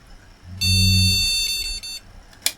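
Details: Retro AT PC after cleaning all the RAM slots, testing each slot in turn: one steady, clear beep at power-on over a quiet fan whir, a normal POST showing that slot works.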